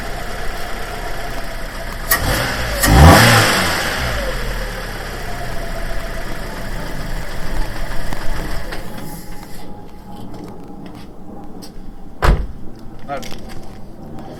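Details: Fiat 500 Pop after coil pack swap, top lambda sensor change and reassembly, at start-up: brief flare then uneven, lumpy, wavering tickover, still the same; rough idle, cause not found.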